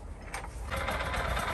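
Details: Small single-cylinder mini tiller (cultivator) engine after its clogged, dusty air cleaner was cleaned and its flat tyres inflated, fixing poor revving and weak pulling; it picks up and settles into a steady, even chatter with no stumbling, normal running.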